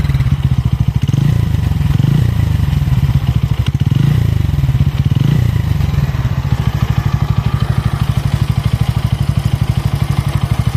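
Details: Bajaj Pulsar N160 motorcycle engine, buttery smooth until the first service at 500 km, rough since: steady low thumping run with a faint rough clatter on every beat; abnormal engine noise, cause unknown.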